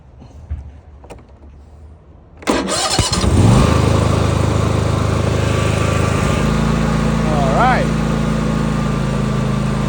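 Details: Lawn mower that would not start, tested after swapping in a replacement Rotary-brand part and using the choke: quiet, then it catches about 2.5 s in and settles into a steady, even run with no misses; normal starting and running.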